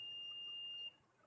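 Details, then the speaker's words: An LCD monitor that won't power on has its fuse tested with a multimeter in continuity mode. A steady high beep under a second demonstrates the sound of a good, conducting fuse; this monitor's fuse showed none and was blown. "अगर fuse सही रहता तो इस तरह से beep की आवाज़ बजती।"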